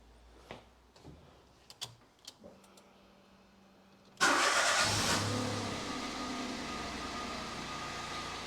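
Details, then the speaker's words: 2013 Toyota Aygo 1.0 petrol started just after a spark plug change: a few quiet clicks, a quick crank and catch, a brief flare, then a steady, even, smooth idle. Normal start and idle. "that seems to run smooth enough"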